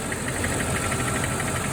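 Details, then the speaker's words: Mercedes E420 V8, cold idle just after start, after throttle body rebuild: light quick ticking about eight per second above the valve cover on one bank, less than at first start but still present; owner suspects a noisy lifter, unconfirmed. "Alright, tick is definitely still there. Not as bad as the first time, but still there for sure."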